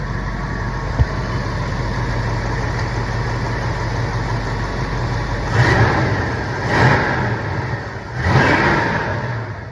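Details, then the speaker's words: 1968 Plymouth Barracuda with a 318 V8 believed original, well tuned: steady, even idle, then three clean blips that rise and fall smoothly with no hesitation. Normal idle and rev. "as you can hear it's got a nice idle it doesn't have any hesitation"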